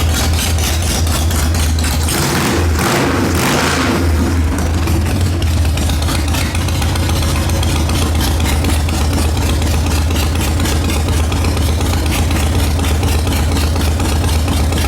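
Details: 2003 Harley-Davidson Sportster XL883 Hugger barn find, first start after sitting over 10 years, with the tank cleaned and the carburetor redone: a strong, steady V-twin lope with throttle blips, even firing, no knocks or misses. It runs healthy.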